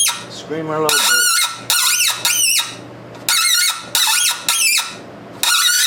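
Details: Hand-tapping a 5/16 thread with a hexagonal chasing tap for a new push rod on a 1919 Domestic side-shaft hit-and-miss engine, with Tap Magic applied: sharp, high squeals in bursts with each stroke, the tap chattering as the thread binds tight.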